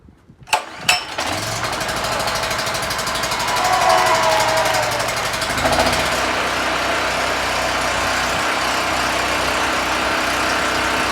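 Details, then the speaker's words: Brand-new Predator 4375 generator (3500 W continuous), very first start in a garage, pull start on choke with fuel line open, then settles into a steady, even buzzing run with no misses or knocks; healthy, not very loud. "actually not that about loud in my garage"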